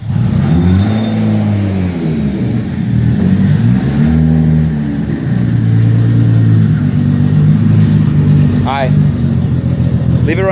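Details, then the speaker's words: Infiniti G35 sedan turbocharged engine: lumpy, uneven idle with a wavering beat and a skip in the rhythm; one cylinder is down, so the engine is being pulled and replaced with a stock naturally aspirated one. "it running for a second. Yeah, so as you can see, we down a cylinder."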